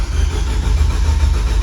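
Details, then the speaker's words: Rebuilt high-power Nissan Juke project: cranking with ignition and fuel off to check the cam and crank sensor RPM signal gives steady starter churn with even compression pulses. RPM signal is present and injectors and ignition coils work. "RPM okay so we have RPM when we crank injectors are working ignition coils are working"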